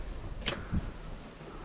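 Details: 1992 Kenworth truck with battery charge unchecked and water reportedly getting into the fuse panel: key turned, just a couple of faint isolated clicks in near silence, and no cranking.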